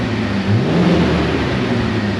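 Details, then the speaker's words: Jeep TJ after trail disaster repairs, coolant system being bled with some air still in it, run about 10 minutes: steady low idle with a brief rev settling back cleanly, no knocks, temperature holding; healthy. "Everything seems to be working as it should. Idling is pretty much normal. The RPMs come down like they should."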